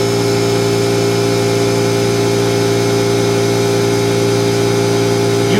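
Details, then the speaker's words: Small cooling fan in a nearly 30-year-old doorbell server that had failed, during oiling with 3-in-1 oil: constant whirring hum, steady hard unchanging tone while spinning; dry unlubricated bearing, oil being absorbed. "Hear how dry it is, so it's not like you can't use it."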